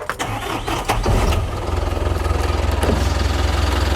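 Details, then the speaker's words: 2010 Hyundai e-Mighty diesel truck, 349,000 km: a few cranking turns then catches into even, steady idle with no rough knocking; normal start. "자, 엔진 소리는 이 마이티 엔진 소리 굉장히 좋은 겁니다. 지금 이 소리 자체가 좋고요."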